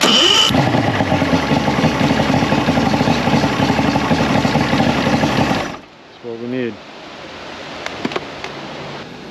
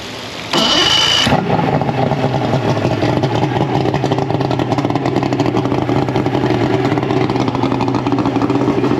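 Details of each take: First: Mercury 225 hp six-cylinder outboard that quit on the water, good fuel and even compression, runs rough with a stumbling beat then dies; no spark traced to a failed stator, wires rubbed the flywheel, replaced with six-pin stator. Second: Mercury 225 hp outboard after replacing the six-pin stator (it had quit with no spark and stalling): brief crank, then catches and settles into a steady, even run with no misses. Normal running after repair.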